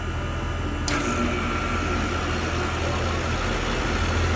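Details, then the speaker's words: 3-phase 230 V reciprocating HVAC compressor with all three legs powered and good windings, after tripping on overload: steady low hum with rough uneven mechanical undertone, not pumping; internal mechanical failure, compressor to be replaced. "Sounds a little odd. Mechanical failure, it's a recip. It's got all 3 legs of power, 230 volts, and it just doesn't pump."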